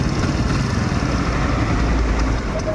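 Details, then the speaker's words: Kawasaki Barako 175 at idle, noisy despite new block, idle gear and kick gear: loud busy idle with fast loose clatter over the engine beat from a rattling carburetor piston/slide, later cured by replacing the carburetor. "Ayan, ang ingay po ng makina niya mga brothers oh. Kaya, tingnan nyo, maririnig nyo po ingay oh."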